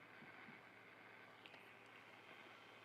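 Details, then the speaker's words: Mesa F50 guitar amplifier with no signal: constant loud hiss and faint low hum, appearing with the master control; suspected JFETs or bad capacitors, source not pinned down. "yep there's noise awful so that might be J fets it might be bad caps"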